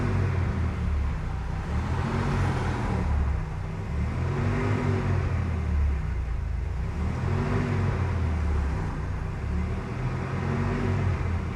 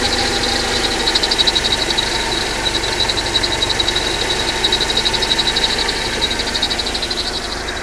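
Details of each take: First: Mercedes-Benz W124 230E, hot, fan clutch engaged (tested to activate at 100°C) after a new thermal vacuum switch was fitted; engine revved in slow swells, fan roar rising with the revs while the temperature comes down; normal fan clutch engagement. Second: Mercedes-Benz W124 230E, warm idle around 80–90°C: steady high chirp pulsing about four times a second; owner suspects a bearing in the water pump, belt tensioner or alternator.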